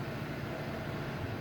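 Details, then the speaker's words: Dodge V10 at idle with the throttle held steady; a low idle broken by irregular dropped beats and uneven pulses, a misfire the owner says is new. "Here, I haven't been able to really work on it, and I noticed it was kind of misfiring a lot at idle, which it's never done before."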